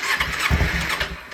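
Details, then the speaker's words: 2009 Kawasaki Ninja 250 under rebuild, starter fluid sprayed into the airbox to check the engine isn't seized: starter cranks briefly, then the engine fires in a quick, even burst with no clanking. Normal cranking and start. "that bike runs perfect you can hear it no issues at all no clanking no nothing"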